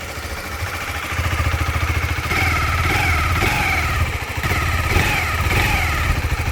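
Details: KTM 390 Adventure after valve lash adjustment: mid-pitched whir over the single's beat rising and falling with each throttle blip; cam chain tensioner turned out to be too tight.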